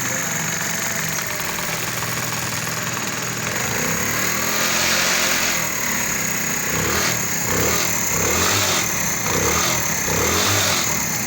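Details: Single-cylinder motorcycle after a timing-chain noise repair (worn cam and rocker wear addressed, oil pump gear fitted, leaking seals replaced) ticks over at a quick steady beat with no chain rattle or slap: a clean idle.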